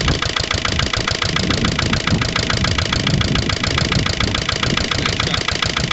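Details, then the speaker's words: Lister LD1 single-cylinder diesel on a chilly morning of about 5–6°, after a fuel filter change and bleeding: an uneven, lumpy thump at about two beats a second. Runs rough and can be nearly stalled; owner suspects a missed step when bleeding the fuel system. "really just isn't right it yeah s is right not quite sure what need to be done now"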